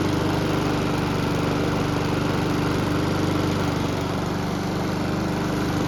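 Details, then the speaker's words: Honda lawn mower after an engine swap (original crankshaft badly damaged), with the recoil starter cleaned, lubricated and reinstalled: the single-cylinder engine holds a steady, even buzz at constant speed with no misses or knocks; runs great. "The good news is that it starts and runs great, but the bad news is that we're still not done with the project just yet."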